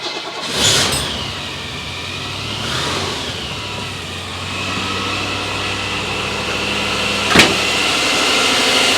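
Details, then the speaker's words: Rover P6 V8 with newly fitted alternator: engine starts and settles to a steady idle with a thin constant high whine it didn't make before; alternator charging at 14 volts, though the ignition light still doesn't come on. "that's interesting the alternator makes a discernable sound this time it didn't do that before"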